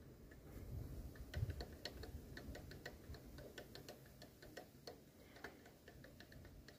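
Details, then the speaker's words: VW Lupo engine running quietly with light, uneven ticking and rattling about one and a half times a second. The belt tensioner pulley is visibly wobbling and worn and should be replaced before the belt flies off. "Irgendwie sieht das aus, als ob die eiert. Ja, die eiert. Spannrolle. Ah, Spannrolle."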